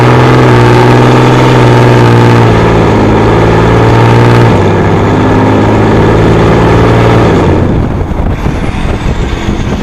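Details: Dodge Ram 6.7 diesel on a road test after replacing the exhaust pressure sensor for code P0472 and a weak exhaust brake: heavy drone with a deep rasping exhaust note as the brake holds, then it drops away; exhaust brake working at full capacity.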